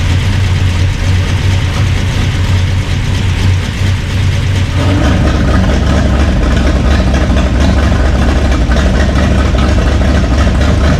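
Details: Burned-up rat rod "Doje'llac" with freshly done carburetors, first run after the fire, oil burning off headers; catches and settles into deep steady rumble filling out as it warms, no knocks or misses; normal running.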